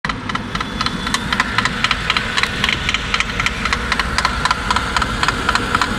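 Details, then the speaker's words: 2008 J20A 2.0 engine, 87,000 km, cold start without preheater: sharp regular ticking knock about four per second over rough cold idle, lasting 3-5 minutes; not chain-like, owner suspects piston skirt slap or spun crank bearings, unconfirmed. "вот такой вот стук, который дюже напоминает стук юбки"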